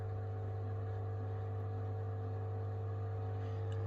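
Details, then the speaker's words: Indesit washing machine after clearing F05 error by removing a blockage such as straw from the drain pump: steady low hum with a faint constant tone, no rattling or grinding, drain pump spinning freely and normally, error not returning. "there you go you hear that the pump is now spinning a bit of straw there"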